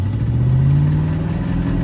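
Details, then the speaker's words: Abandoned 1970 V8 Mustang warming up, held at the constant rpm where it shakes: deep throbbing drone and swelling hum as the car rocks; owner suspects the engine is out of balance from a bad harmonic balancer. "Hear that vibration? That's the engine. So I think the engine is a little out of balance, and I think that balancer being all out of wonk."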